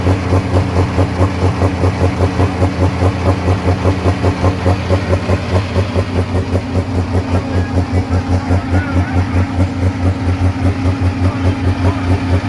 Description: Super stock diesel tractor with the injection pump stuck open cannot start without tons of ether.